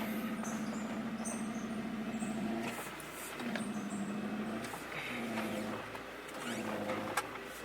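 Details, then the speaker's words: Honda CRV driving after a timing belt replacement and earlier power steering fluid loss: a mid-pitched whine swells and fades over road rumble. Power steering pump whine is suspected, not confirmed. "So my power steering making noise. The power steering pump go now, dude?"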